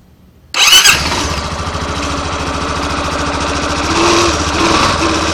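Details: Yamaha Fazer 250 Blueflex 2013/14 with 6,000 km, first cold start of the morning: brief harsh rasp as it catches, then even idle; noise came from the starter clutch plate, and replacing it cured it.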